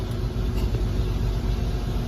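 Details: Jeep Cherokee XJ after ECU no. 252 repair with new capacitors: started first try, steady even low idle rumble with no misses, ticks or surges.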